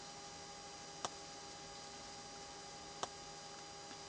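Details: BMW 128i coupe parked, engine off, after pressing the door open button: sharp isolated ticks about every two seconds over a faint steady electrical hum, continuing until doors close and electrics shut off.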